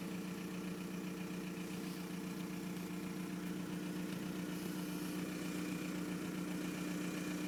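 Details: 1999 VW Golf Mk4 GT TDI (AHF diesel) with long start-up and loud turbo: idle with lumpy, uneven beat around 150 per minute instead of a smooth tick; rough idle, cause not known.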